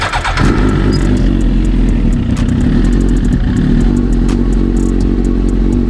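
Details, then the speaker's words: 2009 Suzuki GSX-R1000 that sputtered badly: with a substitute fuel tank and pump fitted, loud, even four-cylinder run with a steady deep note, no stumbling or misses; original fuel pump confirmed faulty. "now I will admit this pump does sound better than the last"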